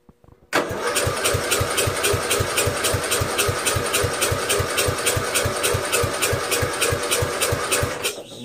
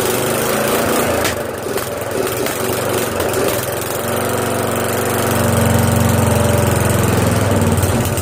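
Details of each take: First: Castle engine swap to 12.5 hp flathead; cold start, starter cranks steadily at about 3.5 compression beats a second for eight seconds but engine never catches. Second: Castle lawn mower after swap from a 15 hp OHV to a 12.5 hp flathead, following a failed cold start and some adjustments: small single-cylinder engine catches and settles into a steady, even putter that firms up after a few seconds; runs properly.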